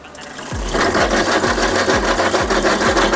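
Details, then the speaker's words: E-bike hub motor at 15,095 km makes a loud rhythmic chuffing grind, about three beats a second, like a steam train. The planetary gear teeth are worn down and the gears need replacing. "엄청 시끄러운 소리가 나죠 꼭 타시고 계신 전기자전거가 살짝 이런 어떤 뉘앙스나 비슷한 소리가 난다 그러면 유성기어를 좀 의심해 보시는게 맞을 것 같고요"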